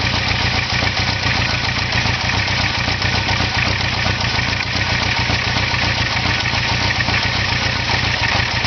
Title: Idle Sound Issue